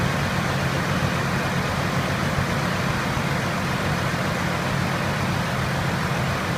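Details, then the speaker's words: Chevrolet Trailblazer 4.2L at idle with fans running: rough, uneven idle with one cylinder dropping out; check engine light confirmed misfire from failed cylinder 6 ignition coil, replaced. "And sure enough, it is a ignition coil. It's got a misfire. Of course, it's the cylinder number 6."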